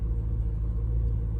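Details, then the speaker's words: 1986 Peugeot 505 Turbo (N9T engine), unstarted several weeks, new battery fitted: deep steady low rumble with no knocks or misses; healthy even idle. "I'm really happy. She sounds good. She's obviously liking that new battery."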